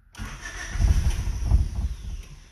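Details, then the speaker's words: Old Honda (manual, clutch) after fuel pump cycled and fuel pressure reading about 37–40 psi: starter churns in uneven surges, long cranking before engine catches weakly; hard start, then runs with check engine light on and foul-smelling exhaust, cause unknown. "trying kicking over it's running we've got a check engine light on but it's running"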